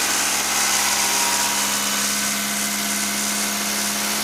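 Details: Toyota MR2 2.0 L 16-valve after repair of a no-start caused by the O2 sensor wire chafing on the body and blowing the 15 A EFI fuse; wires taped, fuse replaced. Steady, even idle with a smooth hum and no misses, knocks or hunting.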